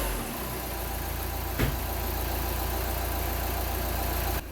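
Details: Seat Exeo diesel idling after fixing DPF blockage and pressure sensor faults (P2453, P2452, P2002), engine light now off: even, steady low clatter with smooth pulse, no knocks or hunting; sounds healthy.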